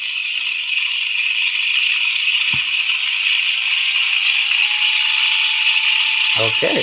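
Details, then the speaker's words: Taigen RC tank brushed motor and gearbox on a bench supply at about 9.4 V: an even, high-pitched whir with no knocking or catching. The motor stays cool; the gears are slightly loud and a little grease would help. "it seems pretty good motors staying nice and cool the gears are a little loud but that's not something or that's something that a little bit of grease will help with"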